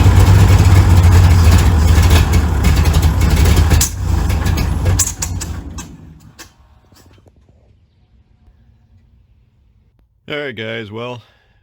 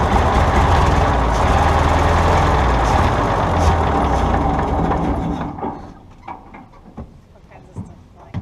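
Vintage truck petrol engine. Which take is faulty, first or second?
first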